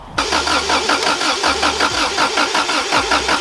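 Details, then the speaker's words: Subaru Impreza WRX STI Classic with lost keys, being hotwired with a cable to the starter; starter churns with pulsing compression rhythm but the engine never fires; immobiliser suspected, possibly also no or stale fuel: crank no start. "you hear the fuel pump for anything you sure you have the immobilizer removed for it"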